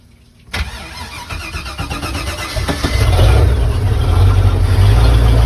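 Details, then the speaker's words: Marine engine with Holley Sniper EFI and new USCG oil pressure safety switch, sitting 6 weeks: short crank, catches immediately, firm even idle without coughing or sputtering; clean start. "Well, it's stayed on this time, hasn't coughed and sputtered. And that wasn't bad, I guess, after sitting for 6 weeks."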